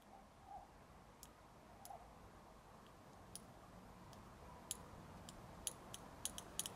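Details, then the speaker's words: BMW E30 petrol injector, suspected stuck open and flooding fuel, pulsed with voltage: at first it barely responds, then faint sharp ticks grow quicker and crisper as the sticking injector frees up. "Слышно, как она пытается сработать, но у нее ничего не получается."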